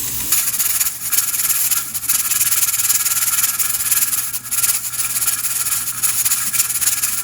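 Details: Pressure canner with 6 raw-pack jars of boneless chicken thighs: steady steam hiss with an irregular rocking rattle, a few times a second, as the regulator weight cycles normally, holding the canner at 10 psi.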